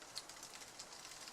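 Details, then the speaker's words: Shimano RD-5800-GS rear derailleur, indexed shifting while pedaling: faint light ticking, then one crisp click per shift, chain running quietly with no grinding or chatter; cable tension set correctly. "one shift one click on the shifter should produce one gear change on the sprockets like so with the chain running silently just like this we minimal noise"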